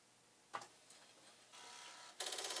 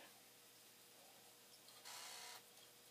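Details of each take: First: Commodore 1541 floppy drive after read/write head cleaning, running a test disk: faint motor whir with crisp, evenly paced head-stepping clicks keeping a strong beat. Drive works properly; a dirty head appears to have been the fault. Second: Commodore 1541 floppy drive after read/write head cleaning, spinning through a long check-disk run: quiet spinning drive and faint hum with two short rasping bursts. Odd intermittent noises, cause unclear.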